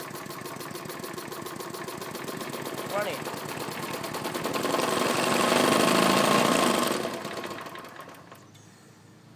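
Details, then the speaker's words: Briggs & Stratton mower engine running: fast, steady buzzing rattle over the engine beat that swells with revs and then fades; owner suspects a bent or loose blade or a vibrating deck, not confirmed. "that's what I mean by the rattling noise I don't know what that is"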